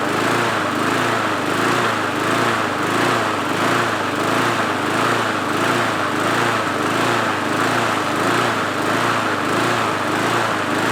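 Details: MTD mower engine after spring and intake O-ring replacement, still hunting rough about 1.5 times a second; owner suspects a flywheel key problem throwing timing off, and the blade adapter was found cocked.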